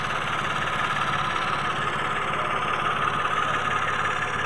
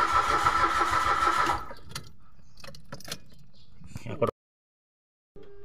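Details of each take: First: Mitsubishi Mirage automatic, previously cranking with no start, settles into a steady even idle with no misses or knocks after relays and spark plugs were replaced and a rusted clip at a water-soaked cylinder head was found. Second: Mitsubishi Mirage automatic, spark plug already replaced: repeated starter cranking bursts with pauses, engine never catches; no gasoline comes out at the fuel line with key on/off, so there is no fuel delivery and the fuel pump is being checked.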